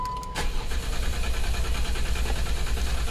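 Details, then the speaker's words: 2011 Jeep Wrangler 3.8L with a misfire and codes P0340, P0344 and P2305, despite a new coil pack, injector and plugs: idling after codes were cleared, steady low rumble, no skipping, no dead cylinder heard. "okay it doesn't sound like we have a dead cylinder"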